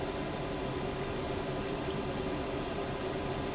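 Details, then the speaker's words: RV furnace after fitting a new thermostat set to heat at 70: a steady airy rush with a faint constant hum, no clicking or rumbling; normal furnace operation. "oh I heard it tried it oh there we go there we go it did a double click it must have done the initial clicking it didn't light and they tried it again and this time it fired it up"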